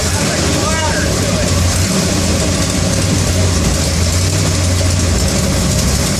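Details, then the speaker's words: Engine at raised idle, won't idle on its own, with a coolant leak: loud, uneven, rough running with clatter up top; owner says it almost sounds like an exhaust leak, cause unconfirmed. "still it's it's running rough it's got a little bit of that clatter I don't know if you could hear it in the video but it's got some sort of a clatter to it"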